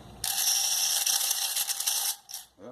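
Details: Washing machine draining: harsh, fast metallic rattle from the drain pump as a stray wire caught in the impeller; jammed impeller can overheat the coil.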